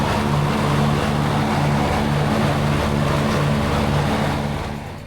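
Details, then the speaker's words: Lawnmower after clearing dirt from under the deck: steady low drone with an even pulsing beat, no misses or knocks; runs good. "So we're gonna get ready to take this lawnmower outside, fire it up, run it. Everything runs good."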